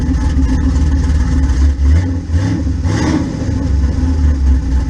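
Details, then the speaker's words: Blazer with a newly installed Gen 4 5.3 V8 with cam, replacing an old 5.3 with a cracked head: deep, choppy, rolling cam lope at idle with a short rev blip. Normal cammed idle. "i'd say that sounds pretty good"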